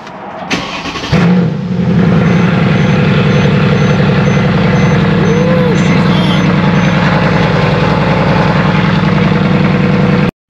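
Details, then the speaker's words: Mercedes CLS63 AMG M157 V8, switched from E85 tune back to 91 tune causing misfire; after spark plug replacement, first start: starter whirr, quick catch, then deep even V8 burble at steady idle with no stumble; normal idle. "okay so currently it's idling it's revving right up there's no"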